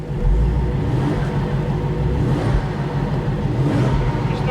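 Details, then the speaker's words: Supercharged Jaguar XJR bought as non-runner, air intake boot needing replacement: starts right up, deep even V8 note swells smoothly with throttle, no knocks, ticks or stumbles; sounds healthy. "sounds healthy and it starts right up"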